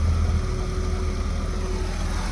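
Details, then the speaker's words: 2003 Porsche Boxster base (tiptronic), flood-salvage car bought non-running, fitted with an 03 Boxster S computer and immobilizer; first start, steady even low idle, no misses, knocks or surging, sounds beautiful — normal idle. "Listen to it. Wow. Holy smokes. It sounds beautiful."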